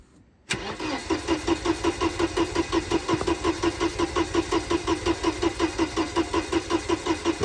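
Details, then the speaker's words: Mercedes-Benz 190E not run in about seven years, old stale gasoline: even rhythmic cranking at about three compression pulses a second with no firing at all; turns over freely but won't start. "Well, nothing really happens."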